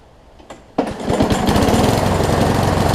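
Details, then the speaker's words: Craftsman self-propelled push mower after a flywheel key and carburetor replacement. It runs with an uneven, stumbling beat of about four pulses a second that skips now and then, and it smokes. Owner suspects the spark plug, worn rings or engine damage. Engine miss. "Almost sounds like it's missing. I'm going to try putting a different plug in before I do anything else."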